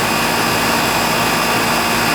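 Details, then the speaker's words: Older outdoor AC condenser with TXV after fixing a failed capacitor; subcooling 9–12, about five degrees superheat, possibly slightly overcharged; loud steady fan rush over constant compressor hum, no rattles; normal running. "i don't want to say it's perfect but it's good enough for this neighborhood how's that sound yeah you're not going to get no better than that"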